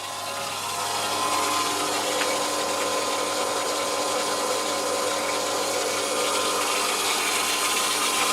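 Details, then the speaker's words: Borehole water system pressure pump in a house in Portugal, running while filling the attic tank: steady, even motor hum and whirr, no wavering or rattle. The pump used to leak; mineral deposits have since largely sealed it, still slightly wet. "So currently the upstairs tank in the attic is filling, that's why the pump is running."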